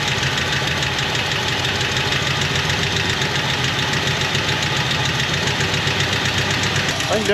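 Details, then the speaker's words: 1977 Jeep Wagoneer, AMC 360 V8, automatic, Edelbrock 1409 600 CFM marine carb, after refitting throttle linkage and spring: steady, even idle with regular pulses and light valvetrain ticking; still smoking heavily and needs tuning; normal idle. "dial it in a little more and uh but man I that's all I wanted I just wanted it idle so this is a wonderful thing"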